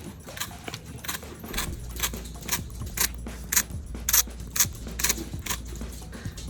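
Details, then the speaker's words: iPhone XR with a cracked back makes a dry, buzzy rattlesnake rattle about twice a second when vibrating. The haptic engine is suspected faulty, not confirmed; the fix chosen is disabling haptics in settings. "the person that brought in the phone says that the phone makes a rattlesnake noise there's something wrong with the haptic engine"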